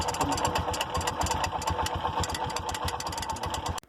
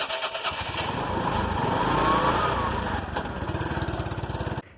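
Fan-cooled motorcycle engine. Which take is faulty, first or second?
first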